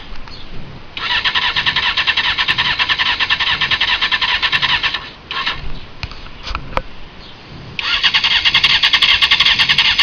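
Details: 2001 Honda CBR F4i, 31k miles, after a left-side low-side crash; plugs replaced, then it died after running a minute. Bank angle sensor, solenoid, fuel and battery checked: brisk even cranking bursts, never firing.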